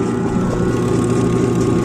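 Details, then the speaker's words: Samsung 7.5 kg automatic washer, long stored, wash not running: motor run directly via timer bypassing board, capacitor common wire found; steady smooth hum, no grinding or knocking; motor fine, had only seized from storage. "Ibig sabihin ayos pala talaga yung motor kasi ang naging problema lang po talaga nito nag-stock up lang yung sa motor nito."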